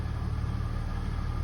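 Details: 2007 Jeep Grand Cherokee Limited CRD, 3.0 Mercedes OM642 turbo diesel, revved toward about 3000 rpm after a repair cleared limp mode. Deep, steady, even rumble with no misses or knocks; normal running.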